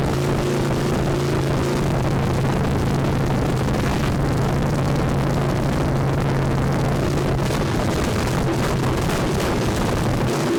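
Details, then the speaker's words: Junkyard 305 V8 running with no exhaust fitted: loud, raw roar at steady idle with a rough, rattly, clicky-clack edge over the firing; exhaust leak suspected, rattle source not identified. "get it's loud I can't I think it just has an exhaust leak but it's got some sort of rattle to it"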